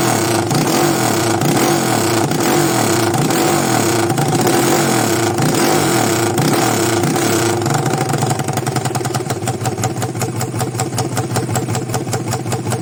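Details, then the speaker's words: 200cc single-cylinder engine after repair and valve seating: runs steady and even with clean exhaust beat, no knocking or ticking; normal running. "tá aí ó solucionado o problema"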